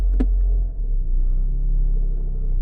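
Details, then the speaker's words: Mitsubishi Galant idling in drive with AC off: deep steady drone and heavy low shudder with no knock, steering wheel shaking; it goes away in neutral and returns in gear, from a failed driver-side engine mount. "put it in drive and reverse you can I don't know if you hear it but you can hear a lot of vibration you can even see the the steer and you can hear it look guys if I put her in neutral the vibration or that sound is gonna go away you hear that if I put it in drive that the vibration is Gonna Come Back"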